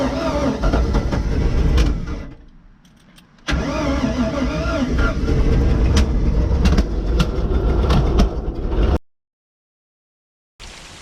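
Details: 1995 Four Winns Liberator 201 boat, Chevy small block V8, first start after sitting 10 years in the woods: it cranks, catches into a deep lumpy rumble, runs several seconds and shuts off cleanly. The water pump is mechanically driven.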